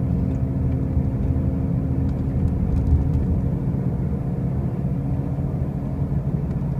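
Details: 2005 Pontiac Grand Prix with brand new wheel bearings and new tires: a steady deep droning roar while cruising, with no clear rhythm, the low rumble dominating the road noise; the source is unknown.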